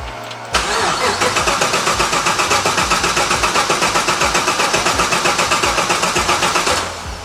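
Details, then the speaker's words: Restored classic car at Classic Speed that hasn't run yet, cranked after writing the ECU with HP Tuners: the starter cranks steadily at about four compression beats a second for six seconds, never firing. An intake air temperature/MAF sensor problem was flagged. "It's supposed to start already, but they haven't gotten it to run."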